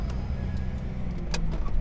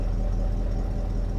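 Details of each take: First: Cheap auction car with a manual gearbox and 187,000 miles: low, steady idle rumble with no knocks or ticks, only a few light clicks around it. Healthy idle. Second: Cheap Copart car idling after a week sitting, with oxygen sensor removed: steady low idle with deep uneven burble, owner says the grumble is from the removed oxygen sensor; car needs a new catalytic converter; exhaust grumble at idle.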